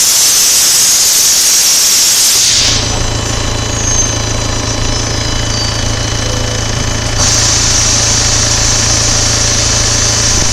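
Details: 2013 VW Passat TDI SEL diesel idling: a steady low hum with a buzzy edge and hissing air. The owner traces it to the exhaust throttle valve and asks whether it is normal.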